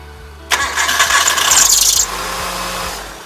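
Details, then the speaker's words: 1997 Hyundai Accent at cold start: a loud, harsh squeal covers the engine for about 1.5 seconds, then fades to idle. A loose alternator belt is slipping and could come off. "So that squeaking sound, that's what my daughter calls the car is crying. So I'm going to show you how to fix that on a 1997 Hyundai Accent."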